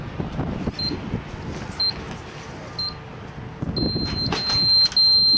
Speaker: that time you heard three saw grid complete shows you have one file and grid one grid in site one and it's a four by four